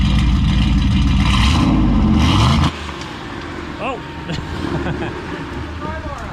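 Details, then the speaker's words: Newly built turbo V8 in an F150 after first start, piston rings not yet broken in, exhaust dump opened up: loud, choppy idle with an uneven lope of three or four pulses a second; normal lumpy cammed idle. "I'm sorry to your bypass valve or whatever you want to call it, but I think I'm going to crack it open. I want to hear what it sounds like. Oh yeah. Yeah. We gotta hear those cams go lumpy."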